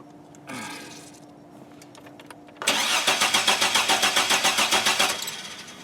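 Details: GM 4.3L Astro/Safari van with intermittent no-start: quick even cranking about 2.5 s without firing; fuel pump tests fine holding about 55 psi, owner suspects ignition such as a bad aftermarket coil, unconfirmed; crank, no start.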